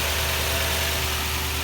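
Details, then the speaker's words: 2004 Toyota Tundra V8 idling after the faulty cylinder 3 coil pack, confirmed by the misfire moving when swapped, was replaced with one from a spare engine: smooth, even idle, no stumble or skipped beats; misfire fixed. "i took one from another engine spare engine i had and popped it in and now it's running perfectly so that's good got problem solved"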